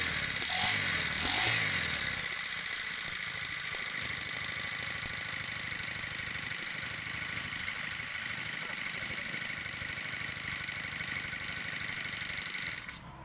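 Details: Honda GX35 four-stroke brush cutter, previously unable to rev and stalling at full throttle even after a carburettor replacement, now repaired: a steady, high-pitched buzz at throttle with no stumbling or dying, running normally.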